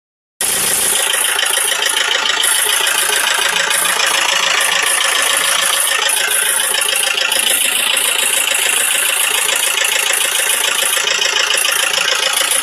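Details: Isuzu 4JG2 diesel running with a hard, fast metallic clatter, about three knocks a second; valves hitting the pistons.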